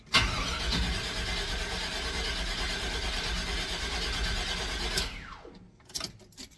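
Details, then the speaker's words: Square-body Chevy K10 that only fails when up to temperature, recently fitted with a new ignition control module: starter grinds steadily for about five seconds but never fires; the new module is suspected to be burnt out, not confirmed. "Went to fire it up again. And now this mother won't even run at all. So that new ignition control module we put in, I think is smoked."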